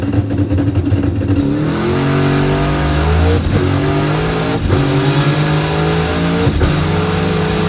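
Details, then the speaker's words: Drag car on a full-power pass at a track rental; hard pull through the gears with revs flaring faster than the car gains, heard driving through the slipping clutch from fourth gear onward. "As soon as I got into fourth gear, I could hear that I was driving through the clutch, and the wipers were trying to tell me as well."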